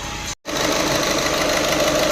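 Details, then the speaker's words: VW Vento with check engine light and blinking glow/heater light: rough idle with light ticking knock and uneven, slightly missing beat; misfire traced to faulty fuel injector, fixed by replacing injector. "तो यह काफी knocking करती है तो चलो मैं एक बार आपको साउंड सुनता हूं ये देखो ये था यह देखो और गाड़ी में ना थोड़ा मिसिंग है मतलब एकदम जो स्मूथ रहना चाहिए नौकरी"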